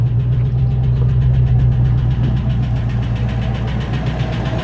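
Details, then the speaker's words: 1994 Range Rover Classic, cold idle: fast fairly even tick or puff over low rumble; cam or hydraulic tappets suspected plus exhaust blowing on one side, possibly an inlet leak; oil pressure light off. "Right, so now we've got it running. It's cold still. Got a big problem with cam or hydraulic tappets."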